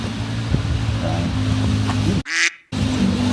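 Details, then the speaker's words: 1975 Jeep CJ5, not run in over 20 years, cranked with gas poured in: steady droning whir continues without the engine catching, briefly cut then resuming; starter seems to stay engaged even with key off, bad connection suspected. "so there's something off with a starter I can maybe get under there take a little peek"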